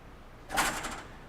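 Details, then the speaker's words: Water hammer demonstration rig: about 200 ft of copper coil with the surge suppressors isolated. A single sharp metallic bang with a brief rattle as the valve is closed rapidly, slightly delayed as the shock travels, peaking at 400 PSI from zero. "and you can see the shock that occur slightly delayed as the liquid traveled and then reversed back up to the valve now we hit 400 PSI Peak pressure from a zero pressure point in an instant"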